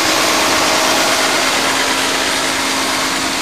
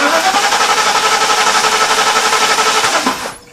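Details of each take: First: 1991 Mercedes-Benz 420 SEL after ignition repair and distributor cap refit (firing order 5-6-7-8-1-2-3-4): even, steady idle with no misses or stumbles, running a lot better; normal idle. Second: 1991 Mercedes-Benz 420 SEL that broke down after heat soak on a hot day: cranks evenly but never fires, a crank-no-start; test lead on coil tower shows no spark, owner suspects a bad ignition coil, not confirmed.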